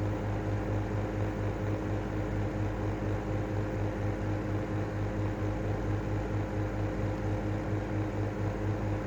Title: Airflow style 2.5 exhaust fan making noise